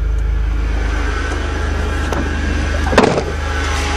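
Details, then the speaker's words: Van fired up on a gas can after a broken, rusted fuel line underneath was found and fixed: even, steady low idle with only a brief bump midway and no knocks, misses or hunting; runs clean and sounds like new. "so let's finally see if this thing fires up this will be the last one to get running in 2009 so I guess except for the arrow star bans the seed in the air hopefully yes hahaha sounds like new to cool love it"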